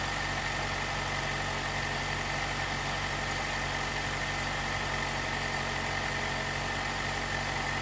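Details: 2018 Jeep Wrangler JL, 2.0L turbo, after replacing the timing chain tensioner to cure a rattle on cold startup: steady, even idle with a faint constant whine and no chain rattle or slap, quiet and healthy.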